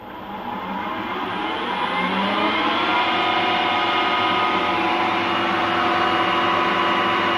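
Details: Refurbished Harrison M250 lathe, 0.9 kW motor on a 1.1 kW inverter, spindle running in reverse: steady, even gear hum that builds smoothly and settles, no knocks or grinding; running cleanly.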